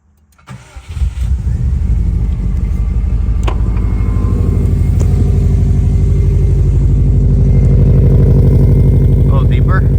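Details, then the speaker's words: 2004 Subaru WRX turbo four after Blouch turbo upgrade, new injectors, Walbro fuel pump and fresh tune, first start: catches quickly, steady even idle; normal idle. "We are at operating temperature, not adding much fuel. It's running pretty dang good."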